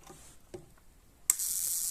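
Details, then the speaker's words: Toyota gasoline engine with pinging from ignition current leaks, test comparing spark plugs: soft clicks, then a sharp continuous sizzling snap as the new plug fires steadily, while the old plug barely fires even with more excitation. Normal spark plug firing. "Fíjense, ahí está trabajando la bujilla nueva. Y fíjense cómo está la vieja todavía no acciona."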